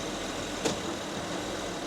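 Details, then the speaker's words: 2013 Honda Ridgeline 3.5 AWD at idle while the shop shifts between reverse and forward: a single sharp clunk as drive is taken up. The front engine mount is broken. "Definitely that front mount. Okay. Go forward again. And that one. Look at that one. Look at that one. Keep doing that, bro. It feels like it's going to come through the super broken."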